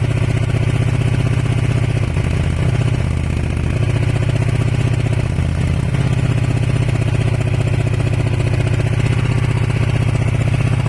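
Twin idles with an uneven, lumpy beat and a stumble now and then among the regular pulses; a misfire, cause not pinned down. Cause suspected, not confirmed.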